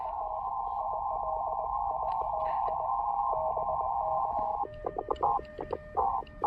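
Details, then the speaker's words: Elecraft K2 receiver during a portable outdoor activation: steady hissing band in the passband with choppy keyed tones breaking through; interference noise, operator suspects nearby hospital, source unconfirmed. "Oh, I don't like that noise. You hear that moving in? That is, see, there's a hospital over here next"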